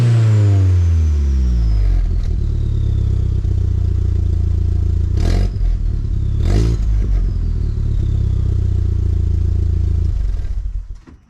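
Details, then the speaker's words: MK4 VW GTI 1.8T, high mileage, about a week after rebuilding the Mega Racing exhaust with V-bands; muffler baffles suspected failing; raspy uneven chuffing with sharp bursts off throttle from an exhaust leak toward the turbo, owner thinks downpipe gasket, hopes not manifold. "it's got an exhaust leak uh up toward the turbo hoping it's not an exhaust manifold i think it's just a downpipe gasket that goes bad in this thing every once in a while"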